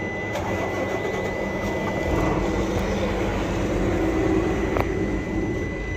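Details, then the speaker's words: Isuzu FVZ 280 truck, check engine light on, slow rpm, no power under load, hard starting after 4-5 hours off: low, slow diesel idle with irregular stumbling beat and uneven knocks; misfiring at idle, cause unconfirmed. "तो मिसिंग की आवाज़ अगर आप सुन रहे हो, मिसिंग कर रही है गाड़ी। चलो देखना, ये देखिए फटफट कर रही है। फटफट का मकसद ये है कि मिसिंग कर रही है, ये देखें।"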